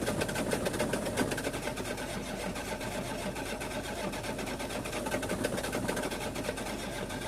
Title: The engine won't start.